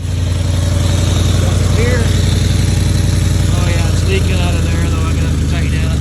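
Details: Ford F-150 idling right after new catalytic converters were installed: deep, lumpy idle with a sharp puffing tick on every firing pulse, about four a second; exhaust leaking at a clamp that still needs tightening or welding.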